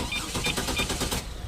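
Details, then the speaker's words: Trailblazer after sitting about 20 minutes: steady rhythmic starter cranking, about six chugs a second, that takes far too long to catch. Extended-crank hard start; fuel pressure testing found low fuel pressure. "Okay, it's been about 20 minutes. That's safe fuel start. Taking way too long."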